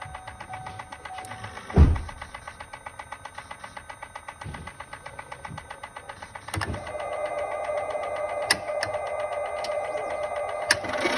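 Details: 2018 Chevrolet Volt transmission clicking: light, regular ticking at a few clicks per second under a quiet hum, getting busier as the drive note rises; mechanical clicking, source unconfirmed.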